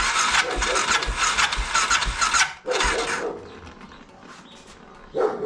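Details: BMW F650 (Rotax 652cc single) cranking after its carburettor was rebuilt and refitted; long high whirring bursts with no firing beats, starter not turning the engine; owner suspects the starter clutch has gone.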